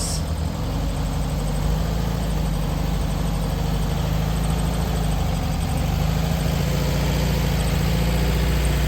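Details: 1964 VW Beetle on its first drive in 20 years, after a new clutch arm spring: a low, even flat-four thrum carries steadily while driving, with no knocks or clatter; the engine sounds healthy.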